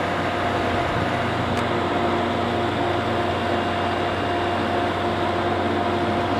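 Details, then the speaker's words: Midea 5000 BTU air conditioner (curb find) after the fan, found mounted backwards, was turned around: steady, even compressor hum with a smooth fan whoosh, no rattles or scraping; running normally, coils getting cold. "i did turn this around i don't know how that happened the thing was on backwards so the fan sounds much better right away presser's on it sounds much better now it sounds normal"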